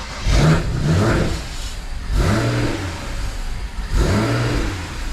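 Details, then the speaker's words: BMW N54 after an 800HP+ fuel system install: the engine surges up and sags about every two seconds and won't hold idle, as if it has no MAP signal. The cause was an intake manifold left loose, giving a vacuum leak. "doesn't want to idle it's like it's not got a map signal i better check some plugs yep i'll go check okay i think i worked it out somebody might have left the intake manifold loose whoops small mistake"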